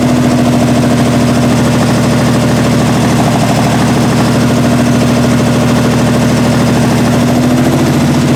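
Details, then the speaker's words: 1968 Triumph TR250 engine first started after body-on-chassis restoration, idle screws backed out two and a half turns: uneven, lumpy idle with wavering beat over a low drone, from poor initial carb setup, loose linkage and timing needing adjustment. "all right so it runs and obviously needs a lot of adjustment as far as the linkages to the carbs are concerned as far as the timing is concerned"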